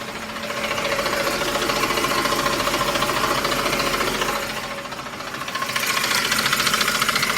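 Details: Ford F150 at idle, filmed at night: fast regular tapping and chirp-like rattle from the belt drive, caused by a worn belt tensioner and a couple of idler pulleys; truck was quiet again after replacement.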